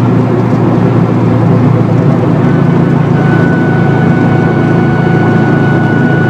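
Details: 2004 Subaru WRX STI on the freeway at highway speed: constant low hum under tyre noise with thin whine; failed, worsening wheel bearing plus rear differential whine amplified by upgraded bushings and mounts; bearings need pressing in.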